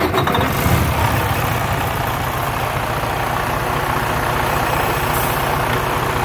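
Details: Freightliner Cascadia (2013 or 2016) diesel truck that would not start; after a temporary roadside fix at a 30 amp fuse in the fuse box, it catches and settles into a steady, even idle with a low rumble and no misses.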